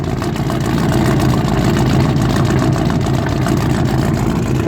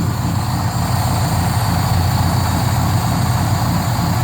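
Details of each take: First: Squarebody truck converted to a fuel-injected 454 gas big block, cranked and idling cold on low-octane fuel. Rough, lumpy, stumbling idle, blamed on fuel moisture and expected to clear once the engine is hot. Misfire. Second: Squarebody truck, 454 gas big block with MSD Atomic EFI, still warming up, slight exhaust leak at slip clamp: even low rumble under steady airy hiss; sounds like a vacuum leak but is idle air control working.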